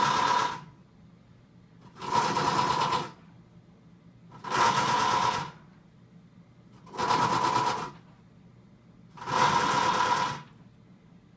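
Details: Brand-new Samsung WA45H7200AP/A2 top-load washer on its first wash cycle: harsh, blender-like grinding bursts from the bottom every couple of seconds as it tries and fails to spin.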